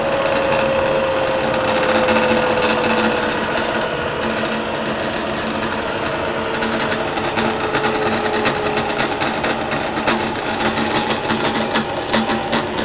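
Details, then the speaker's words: Variable-speed Bridgeport mill, sitting since November, run in high range with the feed disengaged, then slowed toward 500 RPM: steady motor whine dropping in pitch, with an uneven light ticking creeping in; the head is not running quite smooth. "it's not quite smooth in there we'll bring her on down remember we're in the high range here"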